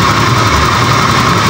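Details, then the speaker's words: Honda Scoopy eSP injected scooter that stumbles and won't ride when cold: idle at 1200 rpm, steady slightly low buzz with faint unevenness, injector opening 2.6 normal; low idle attributed to clogged injector filter. "Nah untuk RPM itu di 1200 nih Jangan meremehkan stasioner atau putaran mesin untuk jenis motor injeksi"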